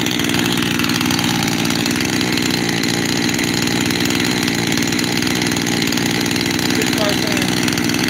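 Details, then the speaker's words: Freshly rebuilt 372 X-Torq two-stroke saw with new bearings idles fast and buzzy and hunts between two idle speeds, likely running lean. The owner suspects an air leak at the transfer cover gasket. "And then hope that I don't have 2 idles, because right now it's got 2 idles."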